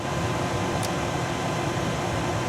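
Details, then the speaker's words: 1998 Chevy C2500 pickup cab blower after temporary rewiring fix of a melted blower switch connector: steady even airflow with smooth fan hum, no squeal or ticking; all four speeds restored, blower running normally. "so I got all four speeds back"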